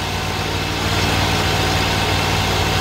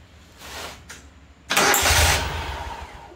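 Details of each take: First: Great Dane Chariot zero-turn with Kohler Command Pro 25 (CV730) V-twin, after repair for cutting off: started with a little choke, even steady idle with a smooth low thrum and no stumbles; still running after about a minute. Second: Great Dane Chariot zero-turn mower with Kohler Command Pro 25 (CV730) engine that cuts off: short crank, catches and runs briefly, then fades as it dies; starts but won't stay running, cause still undiagnosed.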